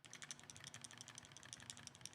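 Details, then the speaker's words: Rattle from the DJI Pocket 4P gimbal camera, switched off and shaken close to the mic: light, quick plastic ticking about six clicks a second, a bit more than the Luna; owner suspects the fitted wide lens adds to it. "So it does rattle a little bit compared to the Luna. Not that much. I think it's rattling a little bit more because I have the wide lens on it right now."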